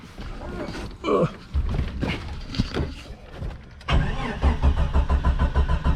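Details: Jeep Cherokee XJ, thought to be early-1990s, not run in four or five years, being revived: starter churns in an even rhythm of about two beats a second but the engine never catches; has oil pressure, no smoke smell, volt gauge not working; crank, no start.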